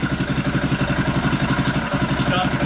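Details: Motorcycle started with a lithium jump starter battery after the flat battery could not crank it: starts and settles straight into a steady thumping idle around seven beats a second, even and unbroken; running fine.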